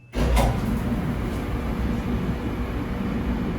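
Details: Samsung dryer after replacing the drum belt (it had not been spinning), running a load; steady low tumbling rumble from start-up, even and smooth, no squeal, slap or thumping; normal dryer operation.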